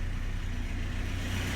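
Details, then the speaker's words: Chevrolet S10 (1998–2001) with swapped Cavalier/Sunfire 2.2 litre engine, nearly at operating temperature, strong oil pressure: smooth even low idle rumble, no knocks or ticks; normal warm idle. "Looking at the dash here, we're almost at temperature. I have phenomenal oil pressure. Everything's working really good."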